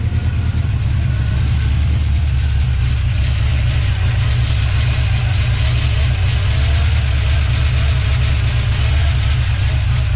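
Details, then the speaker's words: 1970 Plymouth Duster 340 at idle on first start: slightly uneven loping V8; water-spray test shows cylinders 4 and 6 plus 1 and 7 weak; owner plans to check valve lash on the adjustable rockers. "firing those two are dead they're not as hot as this as uh two and eight four and six are weak"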